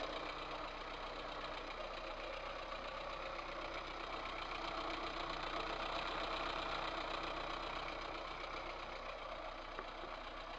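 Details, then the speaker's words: VAZ 2108 1300 cc engine at idle: regular light knock about four per second tapping above engine note; head removal found two valves with large play in worn valve guides. "обнаружил дней следующие два клапана имеют огромный люфт направляющих втулках"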